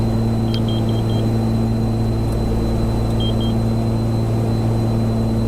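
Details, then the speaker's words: 1982 Cessna 414A Ram 4 in climb near 5,000 ft, cockpit; high chirp four quick times then twice over steady engine drone, the carbon monoxide alarm; a second CO detector read normal, cause unconfirmed. "That's a carbon monoxide warning, isn't it?"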